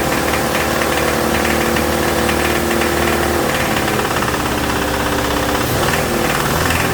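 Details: 2007 Toyota Tacoma 2.7 four-cylinder at raised revs, throttle held: deep, heavy, steady bottom-end knock that changed markedly when injector 1 was cut; teardown revealed a spun connecting rod bearing.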